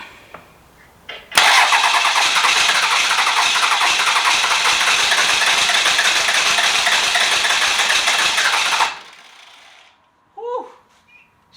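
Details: 12v Cummins diesel being bench started for an OBS Ford swap, about 180,000 miles, starter apparently jumped at the solenoid: about seven seconds of even whirring cranking with compression but no firing; no start from lack of fuel.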